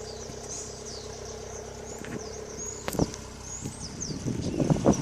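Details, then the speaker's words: 1976 Toyota Corolla TE31 idling, heard from the rear by the exhaust: new cat into a two-inch hot-dog style muffler; even, mellow exhaust burble with no misfire or ticking. Normal idle. "right now it is what it is it does the job and it sounds pretty good and runs well"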